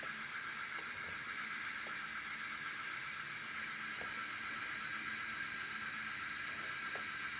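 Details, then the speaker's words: Ceiling fan in for slow-speed service, now connected directly to full current: steady even rush of air with faint light ticking, no hum or grinding, spinning fast — normal running at full speed. "ನೋಡಿ ಫಾಸ್ಟಾಗಿ ಓಡ್ತಾ ಇದೆ, direct ಎಲ್ಲನೂ ಫಾಸ್ಟಾಗಿ ಓಡ್ತಾ ಇದೆ."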